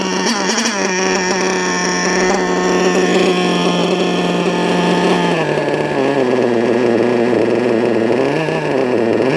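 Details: RC car LRP .32 nitro engine with a Novarossi race carb, warmed up, first full-throttle run of the day: a shrill, sustained scream with the pitch sagging and surging; the high-speed needle is set a bit too lean.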